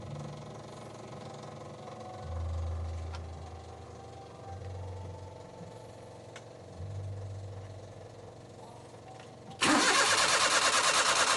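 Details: Suzuki Multicab, F6A carbureted 12-valve engine: starter grinds in slow bursts for several seconds before engine catches and roars up; long-crank hard start, base idle screw adjustment suggested as a possible fix, cause not confirmed.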